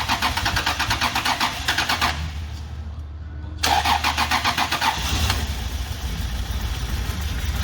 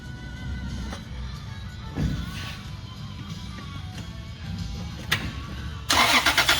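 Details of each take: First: 2000 Toyota Prado 3.4L V6 cranks, catches and idles very roughly, missing on probably two cylinders. A timing belt kit and ignition amplifiers had been fitted without fixing it; the cause was no control of ignition coil 1. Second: 2000 Toyota Prado 3.4L with major misfire, coils unplugged for a relative compression test: steady, even cranking rhythm, all cylinders balanced, so no compression issue; normal cranking.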